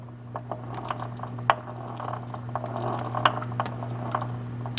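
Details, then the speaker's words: Pacemaker lathe headstock gear train turned by hand gives sharp, irregular knocks and clicks over a low electrical hum; only damage found was on a long gear. "the only noise I could really kind of reproduce hear that knocking noise right"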